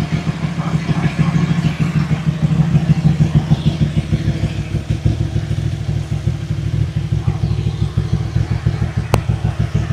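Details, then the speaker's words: Motorcycle (twin) that had overheated at slow speed, started and idling hot after its seizing cooling fan was cleaned, lubed and worked loose: a deep, steady thumping idle at about three pulses a second with no rattle or grinding. Seems fixed, durability unknown. "So, we seem to have fixed it. How long it lasts, I don't know."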